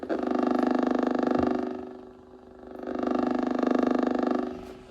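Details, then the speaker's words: Blaupunkt HCX-150 cassette radio alarm clock on 240V via step-up converter: loud pulsing buzz about 3.5 pulses per second during cassette playback swells, stops when phone moved away, returns when near; phone Wi-Fi/cell RF interference, unshielded. "See, it's picking up interference from this phone. Something with the Wi-Fi or whatever signal, cell signal is doing it."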